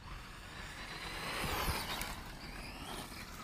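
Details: Tekno EB410 RC buggy, after fixing an electrical fault that caused chirping and a dead bottom end: electric motor whines up cleanly under hard throttle with instant power, no chirp or stutter; normal smooth acceleration.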